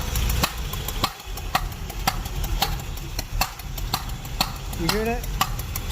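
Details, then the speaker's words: Corvette engine rebuilt two years ago, under 100 miles since, idling: uneven with sharp stumbling pop about twice a second; cylinder 3 misfire persisting after plug swap; owner suspects distributor, compression unchecked. "this is without the number three hooked up but look what happens once I"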